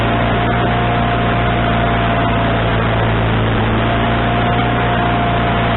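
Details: Wood-Mizer LT40HD sawmill engine with a newly installed replacement carburetor: fast, steady drone with a constant whine that never settles lower. The idle is stuck high, and the owner suspects the governor linkage was hooked up wrong.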